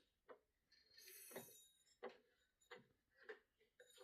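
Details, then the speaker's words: Predator 224 engine on a free MB200 mini bike that sat with surface rust everywhere, turned slowly by hand: sharp irregular knocks and a hard hit mid-turn. Owner suspects the rusted flywheel magnet is hitting the coil, not confirmed. "That was a hard hit. That was a hard nope for some reason. This has surface rust everywhere on it from sitting. There's a chance that that hard hit actually could be the flywheel magnet is rusted to the point it's actually hitting the coil."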